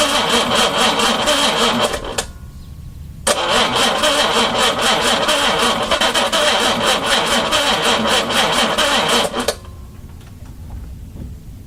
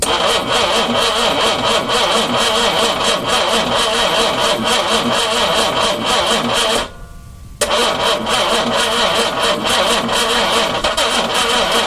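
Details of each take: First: 4.2 engine on its first day turned over, carbs primed by hand and fuel pump not yet fitted: the engine catches after a brief crank, settles into a steady, busy idle with an even beat, then shuts off; it sounds healthy. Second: 4.2 engine turned over for the first time, carbs primed by spritzing gas, ignition hooked up: fast, steady cranking with a few ragged catches that die out; fuel has to be drawn down the empty intake manifold passages first.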